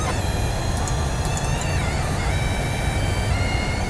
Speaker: it's where electrical wiring inside your PC physically vibrates and it gets particularly noticeable as you reach massive frame rates